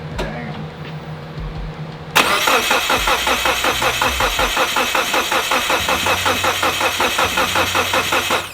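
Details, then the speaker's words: Mitsubishi Evo 8 first start attempt in five years: steady cranking for several seconds, never catches; fuel pressure reaches the rail but plugs bone dry, none of the injectors injecting; crank no-start. "They're all bone dry, which means no fuel is getting in there. We'd be able to smell fuel on them, so none of the injectors are injecting."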